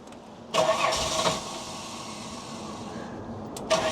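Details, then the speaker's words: Supercharged Holden VT Calais that had been sitting and would not start with a flat battery is cranked; a short crank catches quickly into a steady idle with another brief rev near the end, a normal start. "It's alive! It's alive!"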